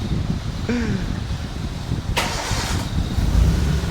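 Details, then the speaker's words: Maruti Suzuki Gypsy starting after repair on about 10 litres of fuel, in neutral: quick self-crank catches, revs jump up then settle to steady low idle, street noise around; normal healthy start. "हाँ RPM एकदम ऊपर फिर नीचे, यही चीज तो मैं चाहता था भाई साहब।"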